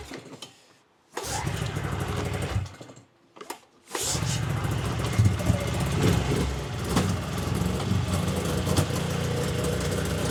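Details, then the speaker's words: 1999 Yamaha Vmax 700 triple snowmobile two-stroke, choke on: couple of short cranks, then catches and holds a busy, fairly steady idle; idle sounds improved but not perfectly smooth. "it does sound like it's idle and better and everything not sure actually"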